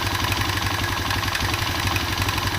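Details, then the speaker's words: Honda Revo Absolute motorcycle idling after the cam chain was tightened: the cam-chain clatter is gone, but a quick light metallic ticking remains, suspected to be a worn piston (piston slap). "Tuh, bunyinya itu masih ngelitik. Beda sama tadi bunyinya udah ya. Tadi bunyinya itu kletek."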